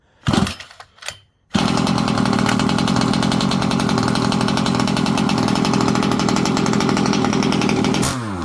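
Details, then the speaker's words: Rovan Baja 5b 1/5-scale RC two-stroke after turning in the idle screw: catches after a few pulls and holds a steady, even buzz with no misses or surging; running normally. "All right. Seems like everything's working well on this."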